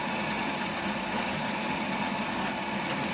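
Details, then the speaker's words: R2D2 droid dome rotating: steady, even whirring from the small drive motor with no scraping or catching; very smooth, though the dome was still catching a few times earlier and the height needs adjusting down. "that's it's very smooth got to make sure the height I have adjust that down slow"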